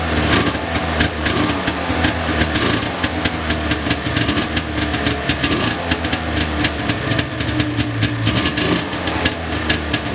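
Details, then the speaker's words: 1999 Ski-Doo Formula DLX two-stroke snowmobile with carburetors badly botched by a previous owner: stumbling, boggy idle with irregular popping and surging. Owner suspects flooding from needless choke; plans to clean the carbs and fit fresh plugs. "I think I just had the choke on there when I didn't need to have it on and just flooded her out but definitely sounds a little bit boggy"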